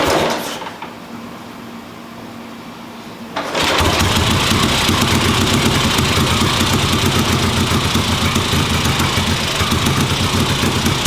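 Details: 1958 Ariel Huntmaster 650 twin motorcycle, carburettor tickled, kick-started on the bench: after a few seconds it catches and settles into a steady, even idle with a crisp regular exhaust beat; normal idle.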